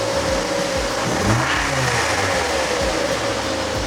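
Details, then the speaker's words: Mazda MX-5 original 2.0-litre engine, started with a jump pack to check for knocking before a 2.5-litre swap: revs up cleanly and settles with even rise and fall, no knocking or tapping; sounds healthy. "That sounds all right to me, Mike."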